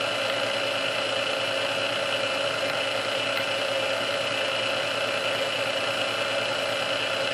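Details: Restored Sunbeam Mixmaster Model 12 that had been quickly overheating its rebuilt speed resistor, after swapping all internal parts: steady motor hum with smooth airy whir on first (low) speed for about 2 minutes, no surging or labouring; original cause unknown.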